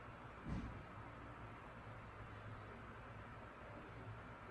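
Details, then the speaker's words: 2007 Airworks 16-inch pedestal fan, 0.45 A, cast metal motor housing, on speed one (low), not run in a while; soft steady low hum with an even airflow hiss, quiet, no rattle or grinding; normal low-speed running. "a pretty nice low speed it has a pretty neat sound when it runs"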